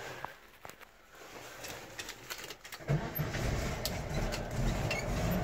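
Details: 1970 VW Type 2 Riviera bus, air-cooled engine, during a pre-purchase inspection: short crank, then it catches cleanly and settles into an even, steady idle with no knocks or misses; normal start.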